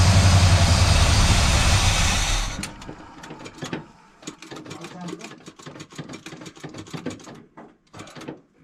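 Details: Buick project car V8 (1971 GS with bored 455, 1970 GS 455, or 455 Skylark clone) on first start in six to seven years: runs roughly a few seconds then dies, leaving clicks; battery weakening, fuel gauge not working; won't keep running, cause unconfirmed.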